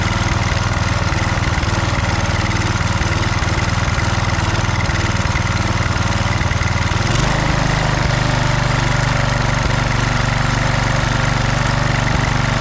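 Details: Husqvarna HU 625HWT string trimmer, a non-runner, started after priming with the air cleaner refitted: catches and settles into a smooth, even run with a steady beat and no rattle from the head; runs healthy.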